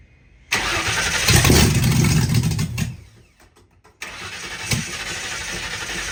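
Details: 1960 Ford F100 shop truck, first start in years, open header, fuel and ignition semi-hooked up: starter churns evenly, pauses, cranks again, never catches; earlier fireballs from header; owner suspects stuck carburetor float.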